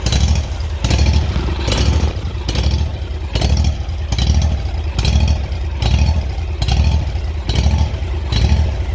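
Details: Kawasaki engine on a Hustler mower surging, speed swelling and fading about once a second, never holding steady; glue found blocking a small carburetor hole, to be picked out and Welch plug to be replaced, plug BPR4ES and fuel filter to be renewed.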